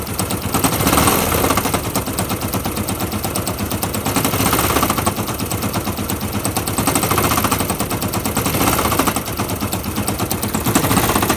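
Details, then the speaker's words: Fuel-injected Yamaha YBR 125 single-cylinder engine with a rapid, harsh machine-gun rattling knock that swells and fades every few seconds, after a new piston and barrel; the clutch basket seems fine, and the owner suspects a bad engine. "i suspect it's a bad engine i'm not sure if there's a knocking noise coming from it"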